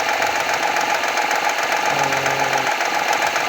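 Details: 2014 Honda Accord V6 knocking at cold start: busy, rapid knocking or ticking over the cold idle, about two to three a second.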